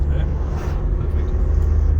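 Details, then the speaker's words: 2011 Ford Transit 2.2L turbo diesel under acceleration on the road after new timing chain and new injectors with fuel-system relearn: strong even pull, no misfire, knock or hesitation; new injectors made a world of difference. "it's good new set of injectors make a world of difference to an engine"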